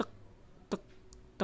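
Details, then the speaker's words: Large live-streaming desktop PC that switches on then off repeatedly: sharp single ticks about every 0.7 seconds from the Conic power supply at switch-on, no fan spinning up; failing PSU suspected, not yet confirmed. "kebetulan di sini waktu saya Nyalakan seperti ini ada seperti bunyi dari psuah semoga terdengar ya"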